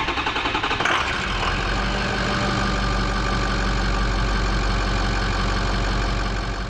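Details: 2005 Ford F250 6.0L Power Stroke diesel with hard start and rough running, after repair, new fuel filters and codes cleared: fires up and settles into smooth even idle; cylinder balance test shows weak cylinder corrected.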